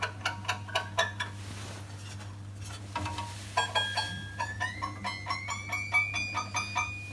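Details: Scroll saw blade tension check after fitting blade: bright, clear ping on each pluck of the blade, tone climbing as tightened then holding steady; tension correct.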